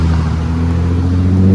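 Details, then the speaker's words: Nissan G35 with Tomei exhaust, test pipes and wide pipe, after an exhaust leak repair at a muffler shop: clean, deep exhaust drone rising smoothly as the car pulls away, with no puffing or ticking; the leak is fixed. "out out to the new star muffler team for hooking me up with the exhaust leak fix it sounds so much better oh my god i'm so happy"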